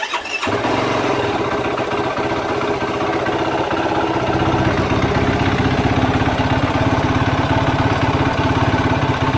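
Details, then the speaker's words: 2016 Yamaha YFZ450R single-cylinder after full top and bottom end rebuild (new crankshaft, piston), idling with loud rattly clutch chatter that quietens with clutch pulled in, louder when released; attributed to plate/basket lash on older clutches, common on Yamahas. "When I was pulling in the clutch and you hear the clutch chatter get quieter, I let it out and it gets louder. Typically, a lot of Yamahas do that even brand new."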